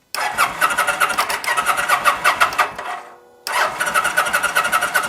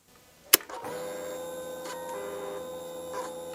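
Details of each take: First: 2009 Kawasaki VN900 Classic, fuel-injected liquid-cooled V-twin that sat for a season on old gas, healthy battery, fuel pump heard priming: two strong, even cranking bursts that never fire; cranks but no start, consistent with fouled spark plugs. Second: 2009 Kawasaki VN900 Classic 900cc fuel-injected V-twin, sat for a season, won't start, new battery and fresh fuel: sharp click at key-on, then a steady electric whir for about three seconds that stops cleanly; fuel pump priming normally.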